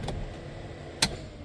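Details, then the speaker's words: LS-swapped Chevelle with Holley Dominator EFI after wiring work: single sharp click over quiet background, the AC compressor clutch engaging normally. "oh actually that's the AC clutch clicking sorry"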